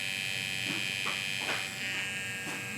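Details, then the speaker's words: Hair clipper after blades were cleaned and oiled: even high-pitched buzz with no labored drag or rattle, much quieter than the labored, loud sound before cleaning; runs freely and normally. "That was a pretty dramatic change there. Went from a very labored, loud sound. This is going to be used around your ears too, so I would prefer it to not be loud. And just by cleaning it out, it's already gotten much quieter."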